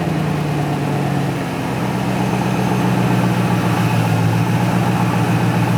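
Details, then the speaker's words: 1993 BMW 740i M60B40 V8 starting after standing all winter with a new battery, before its Supersprint stainless exhaust is refitted: loud open-pipe rumble settling quickly into a steady, even idle, no misfires or knocks; normal idle. "Yes, it started right up and drove beautifully back home."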